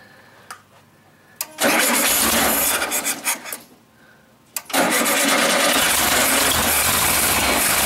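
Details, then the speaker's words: 1974 Super Beetle rebuilt engine after reinstall, with a larger drilled carb jet and old gas: cranks, catches, drops off briefly, then refires and runs strong and even; sounds healthy. "there it is just needed me to do it that's running with the shitty gas in it actually it runs pretty damn good"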